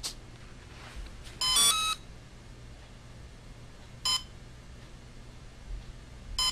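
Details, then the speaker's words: Volcano 30A brushless ESC on a 450 RC helicopter with the radio transmitter switched off: short high beeps repeat slowly, about every 2.5 seconds, slower than the mid-throttle beep, warning of no transmitter signal. "okay so it's a continual beep but it's a little bit slower okay it's not as fast as the throttle in the middle"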